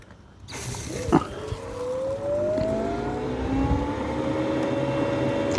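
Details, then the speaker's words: Small VSD booster pump set to 4 bar, earlier overshooting its set pressure on the gauge, single shower drawing about 520 W: a steady mid-pitched motor tone rises slightly and picks up in volume but stays smooth and even; normal running at higher pressure. "Yeah, I can start to hear it more. It's the it's a very I want to say kind on the ear noise, but it's definitely picked up a bit in volume."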